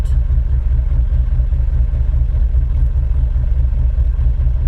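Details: 1994 Chevrolet Caprice Classic after crank-no-start fix: fuel pump replaced and broken vinyl fuel line repaired, a leak tightened. Steady, even low idle rumble with no misses, knocks or hiss.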